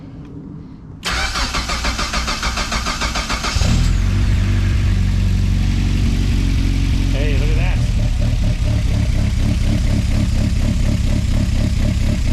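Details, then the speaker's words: Project car after replacing a failed front fuel pump and adding a 10-micron post-pump filter, first fire after priming: starter cranks about three seconds, catches, settles into a loping, uneven idle typical of a big camshaft. "that's that big cam for you"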